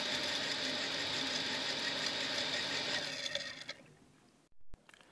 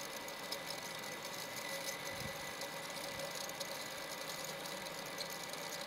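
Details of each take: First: Harsh, high-pitched rattling grind while a Shimizu water pump runs after being restarted, dying away as it switches off; owner suspects sand got inside the unit. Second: Shimizu PS135E water pump after repair, being primed with water: steady even whirr with light hiss, no knocks or rattles, runs smoothly then pumps; earlier dead from a household electrical short.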